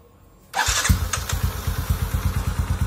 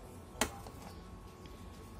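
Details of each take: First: Motorcycle that would not crank despite 12.4 V battery, after cleaning the starter motor's dirty, carbon-fouled brushes and commutator; short crank then fires at once with even beat about three pulses a second; normal start. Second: Hai akal kita starter dia masih cetakcetak nah tapi dari dinamo staternya ia enggak mau ngangkat sama sekali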